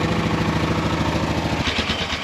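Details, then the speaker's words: Polaris Sportsman 500 4x4 ATV (titled 1999) after cleaning the carb: fires right up, even steady single-cylinder idle with regular firing beat, no misses, no smoke; small fuel leak noted. "she fired right up it is leaking gas a little bit so I uh it's like a line ass to replace but it looks good sounds good I don't think it's smoking at all"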